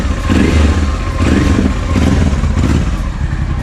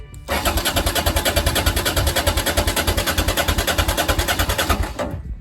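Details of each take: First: Honda XL650V Transalp after starting, new Arrow exhaust with dB killer, new plugs, fresh oil: loud, deep V-twin thump idling steady with light throttle blips, no knocks or rattles, burning off residue; normal idle. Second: Honda XL650V Transalp after a service and a month standing, freshly refuelled with 5 L: the starter cranks evenly without catching; fuel had likely evaporated from the carburettor float bowls, or something may be stuck in the carbs.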